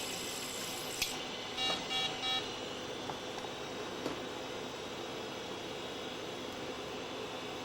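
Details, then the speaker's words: HP Vectra 486/33U at power-up after a hard drive swap and removal of the EISA cards, including the SCSI controller. Three short beeps over fan hiss signal a system board error; it complains the SCSI card is missing. "okay let's see how unhappy it is when i power this up oh it's making that noise"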